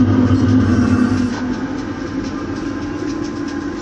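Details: Waste-motor-oil furnace heating a garage, after the oil was thinned and the burner brought back to proper operating temperature following a rich runaway with black smoke. Steady even roar with a low hum, crackling as the tank cools, no surging: normal burner operation.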